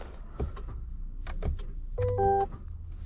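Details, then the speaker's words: 2023 GMC Yukon Denali, 96,242 miles, stalled while driving, now no crank; battery low at 11 V, booster attached: a few sharp starter clicks with no cranking; dipstick shows no oil, engine suspected seized from oil starvation. "Yeah, the starter is clicking. Did the engine get seized?"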